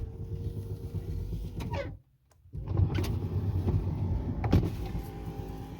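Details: Lincoln Continental front passenger power window after window motor repair with new torque pins: motor hums steadily, stops with a soft thump, then runs again smoothly with no clunking; normal operation.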